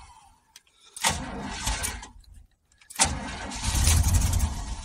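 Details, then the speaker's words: 2000 Chevrolet K2500 4x4, 5.7 V8, sat about four years with rodent damage and the security light on: fires twice, runs rough about a second each time, then dies; starts then stalls, cause unknown, weak or old fuel suspected. "I can't believe she's trying to run security crazy well she started up"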